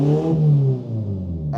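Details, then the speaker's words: 2002 VW Polo 1.4 petrol, no power, P1553, EPC light, exhaust opened ahead of blocked catalytic converter: loud open sound, revs freely and settles without hesitation, no EPC light; blocked exhaust confirmed. "you see it rev's fine and we get no EPC light so it's definitely a blocked exhaust"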